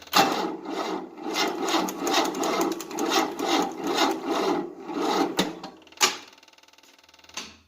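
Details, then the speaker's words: 1988 Tennant 255 Series II sweeper, new fuel line, choke on and starting spray: slow, dragging, uneven cranking about twice a second quits without firing; long-dead battery lacks charge, needs charging. "The problem is, there's not enough battery power. And the battery's been so dead for a long time."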